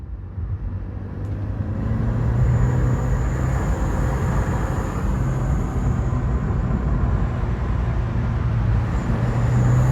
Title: Rattle/squeal/whine/noise on A14XER Corsa D 2012 petrol ... only under load/acceleration. for ref